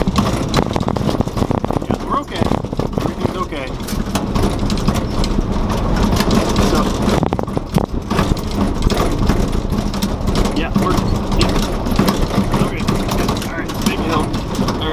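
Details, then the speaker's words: 1970 Ford F100 Ranger XLT, 52 years old, driving on a rough dirt road, recorded in the cab: loose clattering rattles and shakes over the engine drone from loose body and interior parts; exact source not identified. "the reason i'm filming right now is because we're driving down this dirt road and i wanna i want you to hear the rattles and the shakes"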